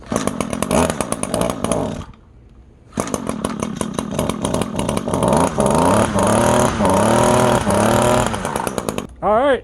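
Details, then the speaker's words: Free lawn edger with a small two-stroke engine, running on fresh fuel mixture with the rebuilt part after priming. It revs high with a steady buzz, has one short dropout, then recovers and holds; it now works. "now we know it works."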